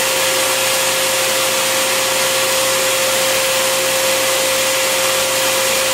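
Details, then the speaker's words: Bissell Garage Pro wet/dry vacuum in blower mode with the hose twisted in: steady high rushing airflow with a constant whine near 550 Hz, even throughout; normal blower operation. "All right, so I twist it in, it's in, and now I'm gonna show you the blower. All I have to do now is just turn it on."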